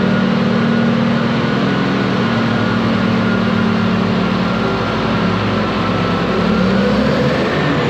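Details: Ex-US Army Cat D6R bulldozer diesel, 822 hours: steady, even speed with deep smooth drone, no knocking or missing; healthy, zero blow-by, hydraulic leaks at loosened joints.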